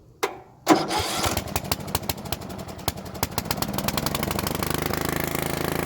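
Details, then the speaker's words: Bolens riding mower that sat a couple of years, first cold start with a new carburetor: catches after cranking and holds a fast, steady high idle that won't come down. Governor linkage seems fine; owner thinks it just needs to warm up. "there's full idle keep running good let's bring it down to low not coming down let's look and see why"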